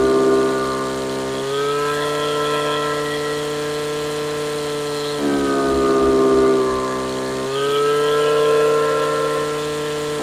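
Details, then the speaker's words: Stihl FS55 RC two-stroke trimmer at wide open throttle, carburetor richened until it four-strokes: flat-out scream drops to a lower burbling note then climbs back to a clean higher scream; rich four-stroking. "So basically, you don't want an engine so rich that it 4-strokes all the time. That's too rich."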